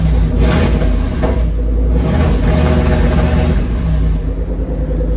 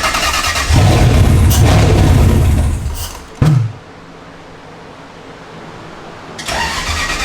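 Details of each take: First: Toyota 3UZ V8 swapped into a Nissan 240SX, no wideband fitted: deep rumble that stumbles and surges when revved; fueling suspected off, smells really rich, unconfirmed. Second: Toyota 3UZ V8 swapped into a Nissan 240SX, after a new ECU tune with changed trigger settings: catches quickly and revs a couple of seconds, drops out, then fires again; runs but needs about 15% throttle to idle, drive-by-wire likely unset.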